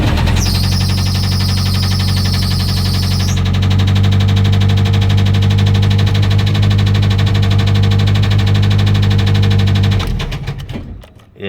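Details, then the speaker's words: 1995 Jeep Wrangler 2.5 four-cylinder, about 185,000 miles, idling roughly with a steady, heavy low knock under the drone, then shutting off; owner says rod knock, engine swap planned. "this is my 95 Jeep Wrangler it's got a rod knocking in it as you can see the engine has a hundred and it says 175 thousand miles which is false more like probably 185 thousand"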